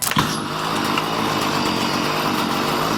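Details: Warm two-stroke weed eater that was bogging and out of tune: steady buzzy high revs with a slightly blubbery, uneven edge; running rich with the high-speed screw still untuned.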